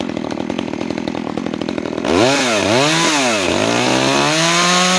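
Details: New Makita EA3200S chainsaw, first start and break-in: even ticking idle around four pops a second, then clean crisp blips and a smooth climb to full revs; healthy.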